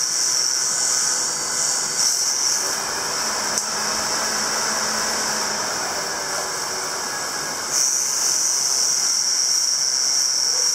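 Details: CycleOps Supermagneto Pro bike trainer in resistance mode 2 (Road): steady spinning hiss with a harsh, high-pitched grinding that comes and goes intermittently.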